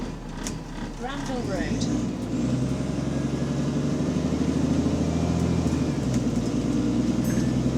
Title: Exhaust Leak | AL DW486 On Bus Route 144 Part 3